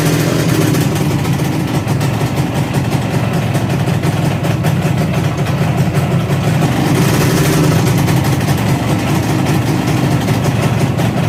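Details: 1963 Ariel Arrow Super Sports 250cc two-stroke twin, bought as non-runner, first run after barrels painted and reassembled: crisp, busy buzz holding steady with brief rev rise, even firing; normal running, though a rattle and oil leak appeared later.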